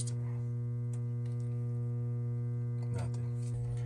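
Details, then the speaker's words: Furnace draft inducer motor on a call for heat gives a strong, steady electrical hum and gets hot, with no fan whoosh: the motor is seized and not spinning. Board flashes three times for a pressure switch fault; hand-spinning may free it temporarily. "however the inducer motor is humming when the furnace calls for heat and I'll show you guys what it's doing in a second"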